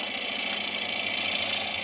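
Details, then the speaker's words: Green honey locust salad bowl on lathe with carbide cutter, wall getting thin: steady hissing cut with fast once-per-turn flutter as cutter grabs; lighter cut taken. "You hear that sound? That's the sound of things that are starting to get thin. And I like that. Now, it's grabbing it a little"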